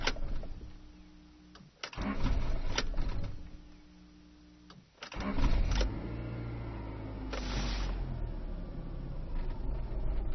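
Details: 1995 Rover 623SLi with a Honda H23A3 engine: the starter cranks in repeated bursts with a steady churning beat but never catches; the cause was a failed fuel pump, and the igniter and main relay were also replaced.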